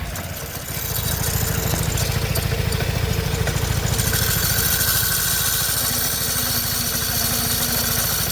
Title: 2008 vespa 250gts IE. grinding sound